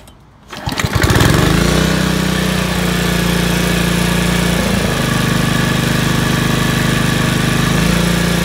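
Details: Older Honda HRC216 commercial gas lawnmower after rotating governor shaft clockwise to fix too-low rpm: catches after a few sputters, then holds a strong, steady full-speed drone without hunting; now about 3100 rpm with blade engaged, normal speed.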